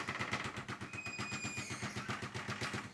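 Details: New Consul inverter 7000 BTU air conditioner working harder as room temperature rises from 23 toward 24–25°C: fast, repetitive knocking about four a second, like a machine-gun rattle; a panel screw was found loose.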